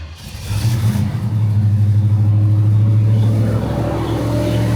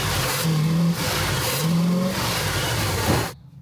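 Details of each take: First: 1971 Pontiac Firebird Formula, Quadrajet carburetor rebuilt and distributor/ignition worked on: deep steady V8 burble at cold fast idle after a few minutes idling, even with no misses; still smells rich but cold; ignition now firing cleanly, normal idle. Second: 1971 Pontiac Firebird Formula V8 with Quadrajet carburetor already rebuilt (needle, accelerator pump, secondaries, float): revs in uneven surges that flatten and stumble under throttle; bog suspected to be spark-related.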